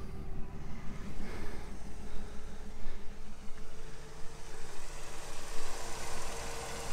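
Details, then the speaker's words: 1965 Impala, original unrebuilt 327 V8 with Powerglide, freshly tuned up, idling: smooth, even low exhaust rumble, very quiet, no blow-by, no knocking; healthy normal idle. "very quiet no blow-by i hope you guys can hear the exhaust rumble that's how good this thing sounds"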